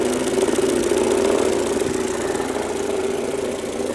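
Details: 2003 Mercedes-Benz A140 (W168) engine, 196,000 km, with rapid light ticking of about four per second over a steady idle from the front of the engine. The owner suspects the timing chain or tensioner, but this is unconfirmed.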